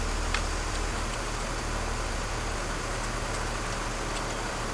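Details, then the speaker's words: Car just finished a full cooling-system job with coolant and vacuum leaks fixed, pulled out of the shop: quiet, low, even idle with no ticking, hissing or stumbling; normal idle, though mounts and tie rod ends still need work. "Alright, time to pull out the car. Sounds good."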